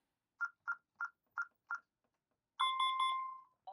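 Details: Honeywell Vista alarm keypad arming stay with zone 02 front door bypassed: five short evenly spaced chirps then a longer triple-tone beep confirming armed with one zone bypassed.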